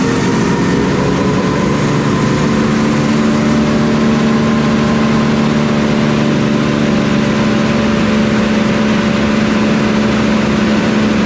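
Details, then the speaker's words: Chipper engine just started cold after sitting iced over; steady even drone with a clean constant tone at run-up, no sputter or misses, surprisingly smooth versus its usual cold spitting. "But that time it was very smooth, kind of surprising. Go ahead and run it up."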